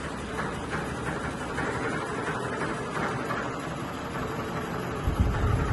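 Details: Sony ceiling fan, 2022 model, at full speed: loud steady rushing roar with rough, uneven shudder underneath as the fan shakes, wobbles and vibrates heavily.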